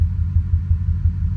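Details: Ford 5.4 2V truck with a three-month intermittent problem and no codes; bank 2 cylinder coil pack replaced and injector cleaner run; a deep, lumpy idle with an uneven throb and stumbling beats, shaking especially in drive, missing on a cylinder.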